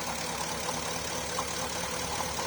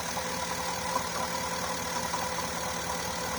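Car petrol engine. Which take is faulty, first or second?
first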